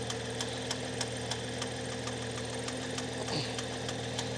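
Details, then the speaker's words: Cheap used car that failed its MOT, engine said to be gone, warmed up after sitting for months. A sharp, regular tap about three times a second over the idle, much worse when revved, so there is an internal engine knock of unknown cause. "See, now it's warmed up. You can hear that knocking. And if I give it a little rev, you'll hear it knock like crazy."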